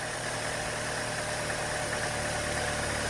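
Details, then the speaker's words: 2.2 engine, first start after replacing a dry-rotted hose: quiet steady idle hum, no misses, knocks or surging; runs fine, normal idle. "First time I've started it since I changed that hose, and it seems to run okay."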